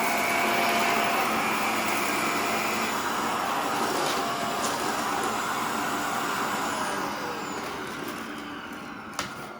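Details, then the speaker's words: Shark Rotator NV520 vacuum losing suction: strained, rough motor roar with fluttering pulse that fades out; filters clogged with dust, dirt passed through the motor, owner says it doesn't sound healthy. "See how it's losing suction? See, it's not picking up too much."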